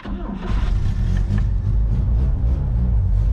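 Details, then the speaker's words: Old mini U-Haul box truck (Ford Courier), restarted after sitting a couple of weeks, just after the fuel pump wire was reconnected: it cranks, catches quickly and revs up with a deep, even rumble that doesn't falter; it starts and runs cleanly. "oh yeah she's a good girl guys she's a good girl"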